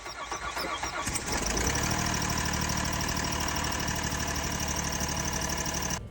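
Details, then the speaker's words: Kia Sorento running rough, engine cranks, catches and runs with an uneven chuffing pulse like a steam train from a blown head gasket. "Customer states their Kia Sarrento isn't running right. A blowing head gasket has turned it into a steam train."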